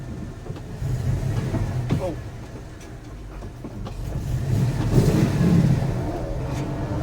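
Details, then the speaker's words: 1980 Dodge W200 5.9L Magnum V8, Holley 600 carb, Bosch platinum plugs, temperature about 190: low rumble surging and sagging, faltering and catching again as fuel runs out; fuel starvation, truck ran out of gas. "ohoh I think I'm running out of gas we did we ran out of gas oh it's it's picking back up hold on we running out of gas"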